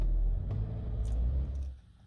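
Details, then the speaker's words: Hyundai i20 stalling a month after service, scope on crank sensor signal: low uneven engine rumble wavers then dies within two seconds; no rpm signal on cranking, crankshaft position sensor needs replacing. "there we go guys we've caught the fault in action check out a uscope signal has now gone car is still running"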